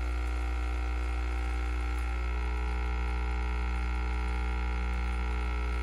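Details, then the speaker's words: KOTLIE 3-in-1 mini capsule espresso machine brewing: steady even pump buzz with constant low hum throughout; working normally. "okay so i'm going to go ahead and let this brew it's already going super cool"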